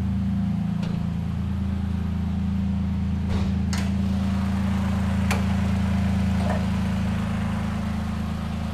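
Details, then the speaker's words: 2008 seven-seat family car with a 1000 cc three-cylinder engine: a smooth, even low hum with a steady pulse and no knocks or ticks; normal idle, dry with no leaks. "mesin mesinnya masih sangat bagus Ya wajar ini tahun 2000 Hai 2008 yang cc-nya 1000cc yang 1000cc itu tiga silinder ya jadi memang mesinnya dari bawaan pabrik Memang udah seperti ini"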